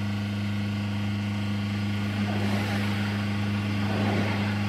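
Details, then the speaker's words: Mercedes GLA small diesel with power loss and clogging warning (air mass meter found faulty), during hydrogen decarbonizing: at full throttle while stationary it holds a steady drone near 2000 rpm and won't climb; normal rev limit, no smoke or smell. "voilà et le véhicule vient de se limiter là j'appuie à fond ça y est il ne monte pas plus haut"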